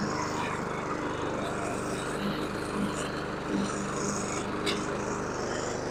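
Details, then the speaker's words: Husqvarna HU700F mower, first run in 7 years after swapping in a new GVC 160 carburetor: steady, even drone under cutting load with no surging or misses; an earlier surge owner suspects was lack of fuel, otherwise runs well. "it surged a little bit in the beginning there I'm thinking that was because it was lacking fuel let's see what happens otherwise it sounded pretty good"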